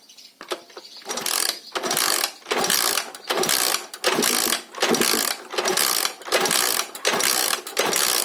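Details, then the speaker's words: Alpha Lux 110cc moped no-start with spark and fuel present but no compression: kick-starting after a spark plug swap gives only a free ratcheting whirr about every 0.75 s, no firing; plug wet; cause was tight valve clearance. "Ну, як бачимо, що нічого не происходить, нічого не происходить."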